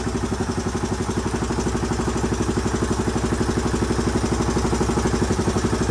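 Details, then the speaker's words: 1981 Honda XL500S single after oil change and air filter install: steady, even thump about four beats a second, no knocks or misses; healthy idle, possible leak heard, carburetor not leaking. "all right well she runs good i haven't had a chance to take her out on the road yet obviously but i at least know it idles and starts up pretty easily too once it's warm it started right back up with another one kick"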